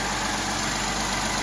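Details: Mercedes M276 engine (GLE 350 type) just after PCV valve, high-pressure fuel pump and intake reassembly: even steady idle, smooth hum, no knocks, ticks or misses; normal idle while checked for fuel and oil leaks.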